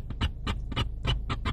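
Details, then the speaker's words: 2012 Ford Focus radio after attempted repair, about ten minutes of driving: sharp crackling static pops about four a second over a low hum, continuing even with the radio off; owner suspects the head unit overheating, unconfirmed. "that didn't fix it you hear that static noise I think when the radio gets hot warms up cuz I've been driving on about ten minutes now the radio works but it gets that static noise"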